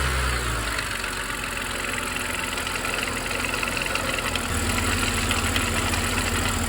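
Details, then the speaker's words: 2007-2010 BMW E70 X5 N52 3.0 inline-six (xDrive30i/3.0si/3.0i) at steady idle with light irregular rattle, three or four a second; early-stage broken DISA valve flap, before replacement of the intake DISA valves. "So that's the sound of broken Disa valve."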